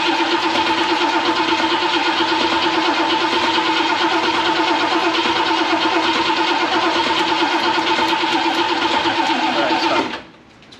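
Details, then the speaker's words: Ford Mustang muscle car sitting since 1993, fuel poured into carburetor after accelerator pump squirters checked: cranks and catches roughly for about ten seconds, uneven and rushing, then cuts out; won't keep running, probably flooded. "probably flooded now at this point I poured a lot of gas in it"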